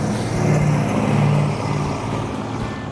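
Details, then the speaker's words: Restored 1972 Dodge Charger Rallye V8 with a reconditioned AC system, blipped at the reveal: a deep, strong burble that swells with each throttle blip and settles back smoothly. Healthy V8 rev. "wow that looks new I think it sounds good it does sound good yeah but it was cool the car did perform well the car ran good"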